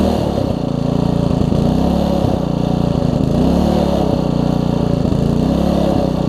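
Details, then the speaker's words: Troy-Bilt Tuffy tiller, Briggs single-cylinder, first run after fitting a brand new carburetor: engine chugs at a steady mid speed with only slight wavering; running better, properly. "as you can hear that's better let's pull through"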